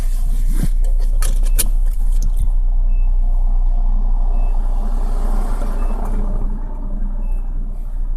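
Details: Suzuki Splash with a soft high beep repeating about every 1.5 seconds over the running engine, sometimes double or triple, starting after a dead battery and jump-start; car drives normally, cause unknown.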